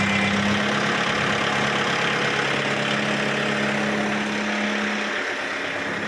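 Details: Kubota MU5702 tractor after replacing the lift control to cure a jerking hitch: even diesel clatter at a steady idle, about four beats a second, with no knocks or stumbles. A normal idle.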